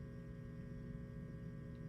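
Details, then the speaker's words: Marshall DSL100/JCM2000 tube amp, phase inverter tube removed, preamp unloaded: faint steady low hum with buzzy edge, nothing played; suggests open plate resistor on the phase inverter power supply. "not good that would lead me to believe we have an open plate resistor on your phase inverter power supply"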